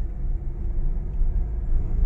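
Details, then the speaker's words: Honda Mobilio on rough village road after tightening the loose stabilizer link (it should really be replaced, noise likely to return): low even road rumble, no clunks or rattles; suspension quiet for now. "Alhamdulillah masih bisa digunakan ya ataupun sudah normal kembali untuk bunyi kelatak-kelataknya tadi udah hilang"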